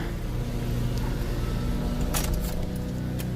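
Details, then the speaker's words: 2000 GMC Safari 4.3 Vortec V6, after fix for damp-weather no-start by adding ground wire to ignition circuit: starts right up and runs at a steady even beat with no stumble; normal running. "here's the final check starts right up starts right up"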